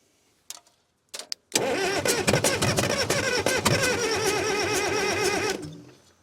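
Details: Cat 922 loader diesel starting on a frosty 0-degree morning, after the cylinder head was removed, valves cleaned and head reinstalled, with the air-breather neck left off for adding ether. Two cranking bursts, then it catches into a dense, busy clatter. Owner notes a lot of air, unsure whether it is drawing air.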